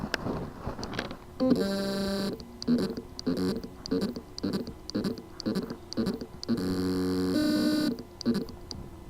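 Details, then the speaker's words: WD My Passport portable hard drive: rapid buzzy chirps and droning hums as the spindle motor fails to reach full speed; caused by loose motor contacts; fix is resoldering the contacts or replacing the PCB. "symptom the motor has been but cannot reach its full speed cause lose motor contacts solution reese order replace the lose contacts or replace the PCB here is the sound from the lose motor contacts problem hard drive"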